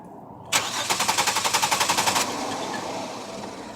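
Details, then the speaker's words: 1999 Chevrolet Venture 3.4 with 222,000 miles that died at a traffic light: even starter cranking about four beats a second for under two seconds without firing; fuel gauge shows no pressure, fuel pump suspected. "okay well ladies and gentlemen it looks like we have a Fel pump issue"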